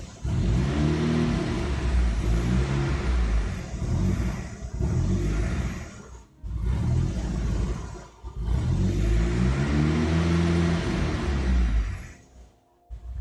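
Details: Turbo engine swap nearly finished, idle problem under diagnosis, suspected injector wiring electrical malfunction: revs surge up and sag repeatedly with dips near stalling; won't hold a steady idle and runs rough.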